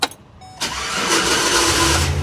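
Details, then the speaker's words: 2008 GMC Savana shop van during cranking: harsh metallic grinding rasps before the engine catches, pointing to a bad starter, which is then replaced. "oh yeah that's a starter definitely a starter I don't if you guys heard that but that sound like a [ __ ] up starter right there"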